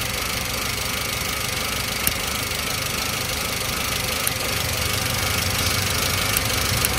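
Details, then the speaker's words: 2005 Toyota Avanza 1300cc pre-VVT-i engine at steady idle with sharp, irregular snapping ticks every couple of seconds: ignition coils leaking spark to ground, often coils 3 and 2; coil replacement planned, spark plug leads kept. "apinya tuh jadi adanya di koil ini ada bocor yang sering koil nomor 3 sama nomor 2 ini"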